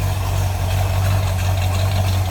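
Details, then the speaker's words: 1965 Ford Mustang coupe, A-code 289 V8 with Edelbrock 4-barrel, automatic, Pertronix electronic ignition, new plug wires, heard from the rear: deep, steady exhaust rumble at idle, even throb, no misfires or ticking; healthy idle. "rumble out of that 289. Nothing crazy, just a nice sounding car."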